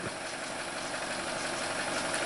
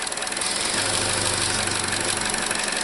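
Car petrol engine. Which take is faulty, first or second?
second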